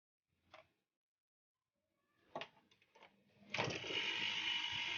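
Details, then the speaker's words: Refrigerator compressor started with a current relay instead of a PTC, clamp meter on the line: a few clicks then steady even hum, no rattle or knock, drawing 0.7 A; running normally. "bisa diperhatikan di sini kompresornya sudah menyala dengan ampere 0,7 ya 0,7 ampere"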